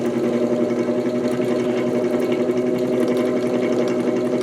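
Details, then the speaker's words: 1949 GE Vortalex 12-inch desk fan before repair, on third speed: steady hum with a slow, uneven throb about four times a second from a badly out-of-balance, wobbling blade; owner suspects a bent shaft. "Ooh, off balance. Oh, boy. Really off balance. Um Oh, Looks like it might even have a bent shaft. That's not good."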